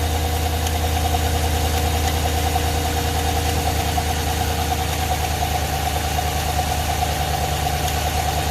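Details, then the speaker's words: V8 with about 200,000 miles and DOD/AFM idling with a heavy misfire and an intermittent tick and clunk; the owner suspects internal engine damage. "it's misfiring like you wouldn't believe um all right so you can hear it Miss oh well you know what it's ticking really bad it's clunking in there there's something wrong"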